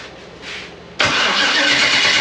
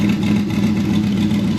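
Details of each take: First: Freshly rebuilt Gen 4 aluminum V8 swap (58x conversion), first fire attempt: starter spins steadily about three beats a second but never catches, battery low; no-start traced to swapped crank signal harness wires. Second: Newly rebuilt Gen 4 aluminum V8 running after install, 60 psi oil pressure: steady even hum with no knocks, ticks or misses; runs smooth and healthy.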